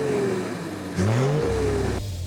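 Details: Toyota 80 Series Land Cruiser 1HD-FT turbo diesel after fitting a used G-Turbo, warmed up, test drive under hard throttle: engine pitch climbs cleanly with a rising turbo whistle, no misses or rattles, healthy.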